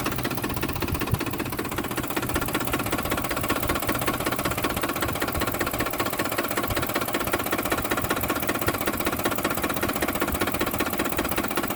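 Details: 2007 Ford F-150 5.4L V8 4x2 automatic, 119k miles, rough idle after deceleration: unsteady rhythm with a light knock about 2.5 times a second, seeming to come from near the fan, louder on one side; cause unknown.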